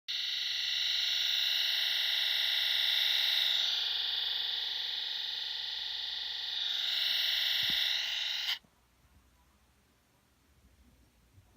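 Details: 2017 MacBook Pro Touch Bar, left fan: harsh, high-pitched rasping grind with a fast pulse, stopping and returning, as the fan sat too low and hit its casing; fixed by pressing the fan back.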